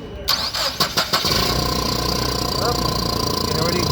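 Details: Nissan forklift with K21 engine that started then died with no codes, after replacing the mass airflow sensor: a few cranking pulses, catches cleanly and settles into a steady, even idle; fixed.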